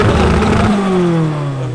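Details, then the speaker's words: Nissan S14 with turbocharged KA engine, exhaust leaks present: strong rev that drops away smoothly and evenly with no knock or clatter; turbo engine sounds healthy. "That sounds awesome, dude. KA sounds so bunk. When you put a turbo on them, it sounds nice."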